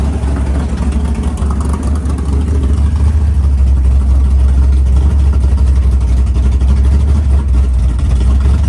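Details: Freshly built 500ci big-block Mopar in a 1969 Barracuda, first start in the car: idle lowered to around 1000 rpm, even steady big-cam chop; normal cammed idle, healthy.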